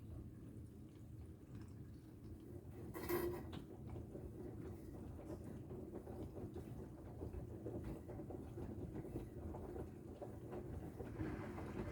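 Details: Bosch WAXH2K75NL washing machine, about 1.5 years old, only when full: a low tumbling rumble, then a short sharp rattle each time the drum changes direction. There is no noise when the drum is spun by hand.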